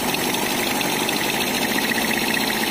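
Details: Kawasaki Blitz motorcycle after rebuild: steady, even single-cylinder idle with a light fast ticking, said to come from the air filter, and no knock; engine healthy.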